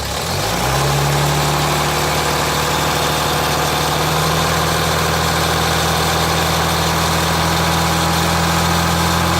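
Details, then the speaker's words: 2007 Jeep Grand Cherokee 3.0 CRD diesel with the oil pressure light on at idle but off when revved; oil level correct. Light metallic rattle over idle clatter, heard from underneath. A loose oil pump chain is suspected; not confirmed. "It sounds to me like it could be the pump chain that's loose. That's what they all like doing now."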